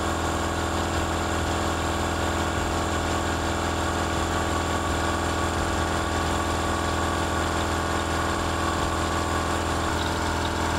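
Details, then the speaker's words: Air compressor with motor pulley upgraded from 86 mm to 120 mm, pump faster than the original ~860 rpm, pumping near full pressure where the motor works hardest; steady even drone, constant hum, no knocks or squeal; pump only warm, motor cool; normal running under load. "Silnik ma najciężej przy dobijaniu, więc teraz włączę kompresor."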